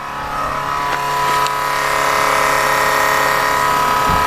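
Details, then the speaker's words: Chevrolet C/10 truck running normally after the main fuel line fitting was reseated to cure repeated breakdowns. The engine holds a steady, even pitch with no stumble or misfire, and there are no leaks; it is fixed. "Nice. It's back. I fixed it. I love it when I fix things."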